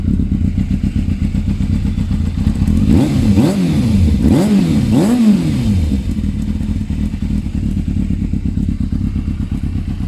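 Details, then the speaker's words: Yamaha Thundercat 600 motorcycle after an exhaust change; even, steady idle with three quick throttle blips, pitch rising and falling cleanly, deep smooth exhaust note; sounds healthy and better than before. "nice [Music] sounds much better"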